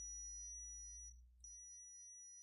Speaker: it beeps and it'll display a very low value, most of the time 0.